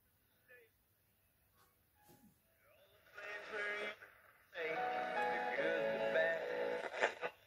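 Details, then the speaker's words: Early-1970s HMV Sprite Mk2 six-transistor AM portable radio, 4-inch speaker, after repair for very low volume and poor reception: music and voice at steady volume, no crackle, fading or hum; normal AM reception. "man that sounding good that's clear as"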